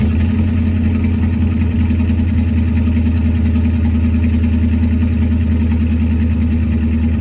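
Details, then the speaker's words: Ford Focus twin-turbo V8 project car, first start with its new custom stainless steel exhaust: loud V8 idle with an irregular stumble of two or three uneven pulses a second; slight misfire at idle. "it's got a bit of a misfire"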